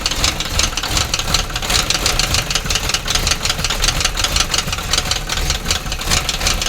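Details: Sharp, rapid metallic engine knock at an even beat over idle; abnormal knocking, cause not yet identified.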